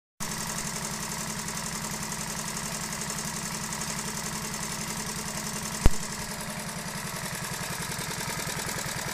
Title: honda novio, first start after a full engine rebuild